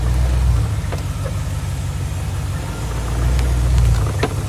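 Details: Knock on take-off in a 2004 BMW 645Ci E63 with SMG gearbox, forwards and in reverse; low rumble with dull irregular thuds, fine in gears 2–6; owner unsure if SMG gearbox, SMG cylinder, clutch or flywheel.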